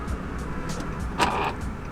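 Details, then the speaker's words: Nissan 350Z passenger door, with both inside and outside handles broken: a brief thin electric buzz from the lock actuator as the door unlocks. "guys hear that little buzzing that means the lock actuator is shocked so obviously the door is unlocked"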